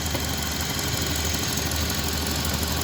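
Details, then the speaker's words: 2004 Honda Accord that vibrated after a poor tune-up elsewhere; after plugs, throttle body and coils were checked and serviced and idle RPM set, a steady, even idle hum with no misses or stumbles, scanner showing no codes. "Okay हो गया RPM set माशाल्लाह से जी गाड़ी okay हो गई है"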